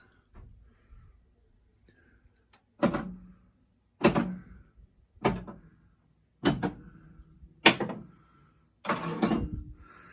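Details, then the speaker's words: Gottlieb Haunted House pinball board set after repair, filter capacitor and 7404 at Z16 replaced, solenoid test: sharp clacks about a second apart as each coil pulls in cleanly; normal solenoid firing. "And the next test is solenoid test."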